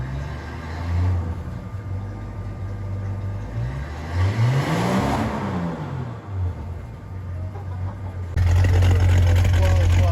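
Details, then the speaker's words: 1983 Ford F-150 after a full exhaust replacement with a brand-new muffler, only clamped so far: deep, even idle rumble climbs smoothly through a quick rev and settles back, tight with no puffing leaks; "sounds like a whole different beast", healthy exhaust note. "sounds like a whole different Beast and"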